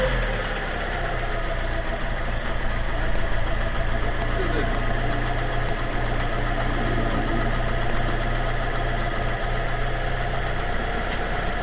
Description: The Red Pop looks great but we still have that annoying lumpy tickover.